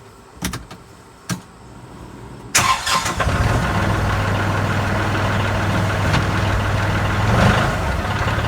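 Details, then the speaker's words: Kubota Grand L3560 HSTC tractor with the BH92 backhoe reconnected, driving around: the diesel cranks, catches and idles evenly with no hydraulic whine, hum or vibration, unlike the noise heard after the backhoe was removed. "no issue no issues no noise no hum no problems whatsoever"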